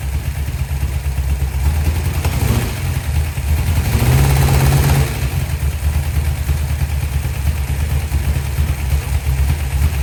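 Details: 1972 Dodge D100 V8, first start after solid roller camshaft and Speedmaster 265cc heads, timing not yet set; owner then says something sounds funny. Uneven lumpy idle, loping about three beats per second with stumbles: rough running, cause unconfirmed.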